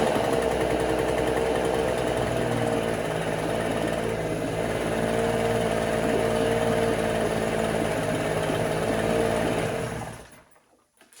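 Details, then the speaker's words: 1968 Electrolux Penta E-50 43 hp three-cylinder two-stroke outboard on 25:1 fuel-oil mix, out of 20+ years' storage, in a water barrel with its pump not drawing water: lumpy, uneven beat with misses, then it cuts out; only the top cylinder firing. "Et en plus de ça, le moteur sonnait et tournait un peu bizarrement."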